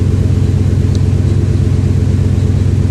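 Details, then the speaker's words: 2000 Ford F-150 5.4 V8, 115,000 km, after fitting a used ignition coil (suspected failed coil): steady even low rumble at idle, no skipped beats, no more misfires counted; normal idle. "maybe we should have a look at the plug too so no more misfires being counted"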